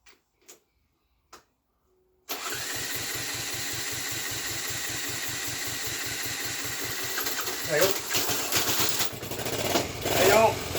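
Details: Honda ST50 under rebuild, first run on fuel without battery, engine newly refitted: small single fires and settles into a putter near 100 beats a minute, lumpy and uneven when blipped; fuelling sounds off, cause suspected; uneven running.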